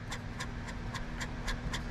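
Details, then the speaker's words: Minn Kota Ultrex trolling motor with grinding: a bearing turned by hand gives a rough, gritty click three to four times a second, clearly bad. "no no the bearing is definitely bad i mean someone here real close"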